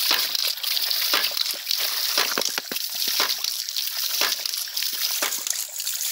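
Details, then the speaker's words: Ram pump with homemade adjustable spatula-spring waste valve, more weight on the valve slowing the cycle for bigger water hammer and more output: valve clacks steadily about once a second over splashing water, no stalls; normal cycling. "you can see how it slows down when that weight is put more on the valve [Music] you hear how slow that is you got a bigger water hammer more wastewater and more water output"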